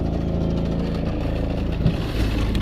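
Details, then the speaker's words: Maple sap vacuum pump at about 16 to 18 vacuum after fixing line air leaks: heavy labouring low rumble with ragged uneven throb, surging; cause unclear. "And you can hear it, it's like not running again. Yep. And there it goes again."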